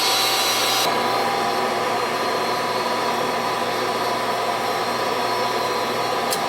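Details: Goodman gas furnace, previously not heating, after new 20 µF fan-run capacitor and new main control board: steady, even blower rush with faint constant hum, no knocks or rattles; normal operation.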